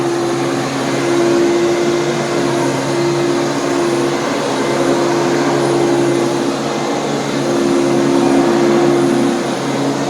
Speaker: so do you hear the squeaky bristles they're old and they're clean but they're squeaking